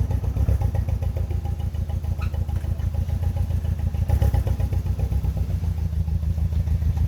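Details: BMW E46 318i N42B20 engine idling with a lumpy, stumbling beat about three and a half pulses a second; engine misfire.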